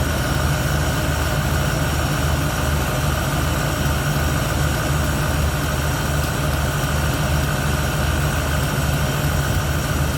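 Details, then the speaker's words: 1971 Ford Torino, rebuilt 302 V8 with C4, warm, after idle mixture screws adjusted evenly on carburetor (was a little lean): even, steady idle with smooth low rumble, no misses or stumbles; runs clean. "Well, I don't think it's going to run any better than that, guys. That's about as smooth as it's going to get."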